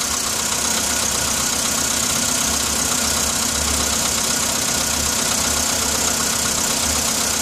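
Cold idle with a sharp, fairly regular knocking over the engine's hum; a cold-start knock from inside the engine.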